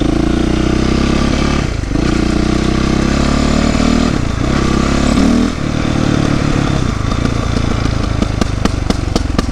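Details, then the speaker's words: 2008 Yamaha YZ450F, not fully warmed up, after exhaust clamp work: revs rise and fall with sharp pops and crackles from exhaust on deceleration; chain noise gone, still a little popping. "Well, the chain noise is definitely gone. Still a little popping, but it's not all the way warmed up yet, so."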